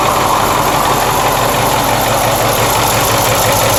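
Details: Ford 6.4L diesel just after a full rebuild: loud idle with a dull, uneven knock about three per second from the rear driver side, slightly louder after a minute of running; owner fears a bearing or lifter, unconfirmed.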